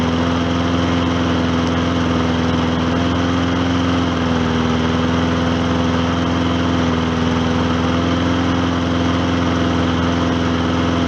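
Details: Old Hyper Tough lawnmower single-cylinder engine running on diesel oil as a repair: steady, even drone with no misses, knocks or surging after choking a little and leveling out; running smoothly.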